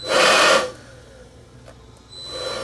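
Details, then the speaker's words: DeWALT cordless leaf blower cutting out after a few seconds at any speed: surges barely half a second, goes quiet, tries to spin up again; looks like an overcurrent shutdown. "I got this cordless DeWALT blower in that apparently is not working, so it was brought to me by one of the locals here, asked me to check it out. It shuts down after only a few seconds at any speed,"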